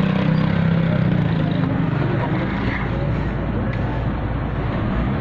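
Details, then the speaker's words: Suzuki Liana M13 after the ignition-coil misfire and rpm-fluctuation repair, AC on: low, even idle hum with no rpm drop, stumbles or missing over several seconds; the engine idles smoothly and steadily. "किसी भी किस्म का RPM drop नहीं कर रहा है missing नहीं ए रही आज भी हम रोक नहीं रहा बिल्कुल स्टेबल"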